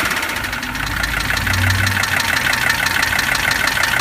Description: 1982 W123 300D turbo diesel has loud knocking and ticking sound. Working on diagnosing the problem.